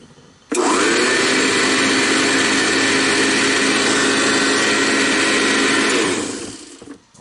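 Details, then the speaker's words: Old Eureka 630D vacuum revived for garage use, running: motor spins up quickly to a steady smooth high whir, even pitch without grinding or rattle, blowing out the back, then winds down cleanly; healthy. "sounds really good i see it blown out the back there"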